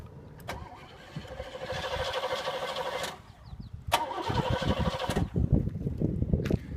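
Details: 1985 Oldsmobile Delta 88 Royale, original 307 V8, carbureted: starter cranks over a second, stops, then on second try catches and runs unevenly; hard restart after stalling, owner suspects carburetor adjustment or fuel filter.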